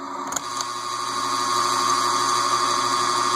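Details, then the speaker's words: Casablanca Delta II ceiling fan (K55-type motor) running on low and medium before lubrication: steady whir and drone from stiff, dry, noisy motor bearings. "That's low. That's medium. You can hear the bearing noise."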